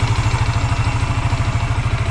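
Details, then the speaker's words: Yamaha Mio MXi 125 scooter, reassembled after smoking and engine noise from oil starvation, test-idling with the exhaust fitted but no airbox. It has a steady, even low putter with only a breather hiss and is now quiet. "Ito naririnig niyung singaw ito yon sa brer aan yan Okay na siya tahimik na"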